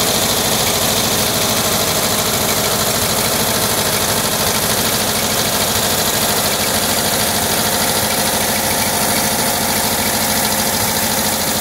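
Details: 1979 Volkswagen Type 2 with 2-liter fuel-injected flat-four engine at idle: light glassy clinking a few times per second, like bottles tapping; owner suspects the fan, refitted unmarked after cleaning and painting; cause unconfirmed.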